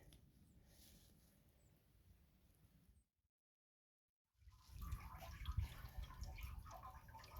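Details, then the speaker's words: Exit pipe checked after snow at 43 degrees: a soft trickle and uneven drips of snowmelt running into the tank, with no spraying or hissing. The pipe did not split, is not leaking and drains properly. "it's not leaking did not split and you can hear the snowmelt going in the tank"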